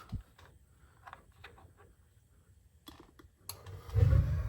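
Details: Newly installed gas water heater, pilot lit and held, then valve turned up: few faint clicks, soft whoosh and low steady rumble as main burner catches cleanly from pilot; normal ignition.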